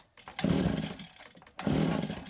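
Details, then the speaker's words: STIHL FS80R trimmer with decent compression, choked and primed: two pulls, each a brief wet sputter that tries to catch and dies; extremely rich flooding, owner suspects leaking carburetor needle and seat. "seems extremely rich I can smell fuel um I wonder if the needle seat and the carburetor is not holding and it's overring the fuel that's in this your cylinder"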